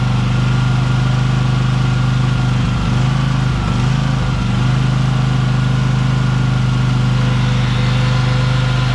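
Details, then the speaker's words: Briggs & Stratton Vanguard 23 hp V-twin on a Husqvarna tractor, sat about a month: even, steady low drone with smooth firing beat, no knocks or misses; running normally. "It's a great engine, 23 horsepower Vtwin Vanguard, but like I said, I'm not going to use it, so let's see if it starts up. It's been sitting here for about a month. Engine's unbelievable, really."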